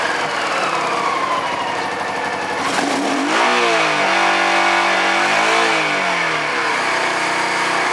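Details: Honda Pacific Coast PC-800 warming up after refusing to start for months (cranked too long with the kill switch on; owner suspects battery, relay or connector): smooth idle rising and falling cleanly with throttle blips, no rattles or misfires; healthy.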